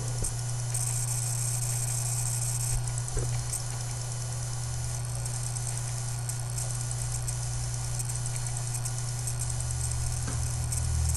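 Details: Dell M65 notebook with a steady high-pitched whine over a low hum, coming from the underside of the notebook; the cause is not stated.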